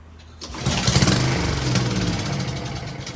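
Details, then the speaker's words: Honda-powered Husqvarna self-propelled lawn mower that would not start: it catches and sputters unevenly for a few seconds, then dies instead of settling; starts but won't stay running. "so it starts but won't stay started"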